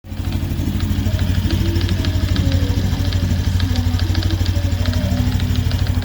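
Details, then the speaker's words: Honda Biz 125 ES motorcycle, only 984 km: steady single-cylinder idle with a crisp, irregular metallic crackle about three ticks a second, present every start. Internal engine clatter, cause unclear. "Aí, galera, esse barulho não é normal. Toda vez que liga a moto, ela fica essa estraladeira dentro do motor."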